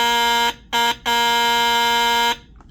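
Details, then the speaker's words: 1958 (owner thinks) Lionel 2383 Santa Fe F3AA diesel locomotive horn, bench-tested outside the shell after cleaning and adjusting the flapper angle, which sets pitch: strong, steady buzzing horn in three clean, even blasts. It works properly and sounds far better than before. "So, yeah, sounds way better than it did, and I can continue to play with it when it's back in the locomotive."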